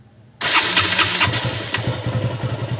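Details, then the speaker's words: KTM Duke 200 fires, then runs with a faltering, starved beat and dies at idle within seconds; the fuel pump hose is leaking fuel, which also cuts power when riding. Stalling after start due to a leaking fuel pump hose. "Once na papaandarin natin ito yung mangy yan ayan hindi siya nagtutuloy yung ah pag-andar ng motor namamatay"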